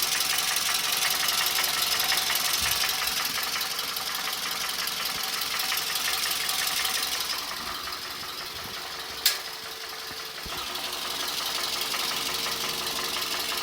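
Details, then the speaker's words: Toyota Camry at idle with the accessory drive belt removed: dull, steady metallic knock about three times a second inside the engine, unchanged or louder without the belt. Problem stated as ovality in cylinders 3 and 4. "Вот долбит что-то в моторе, блин, металлическое. Ну да, явно слышно тут. Глухой такой звук."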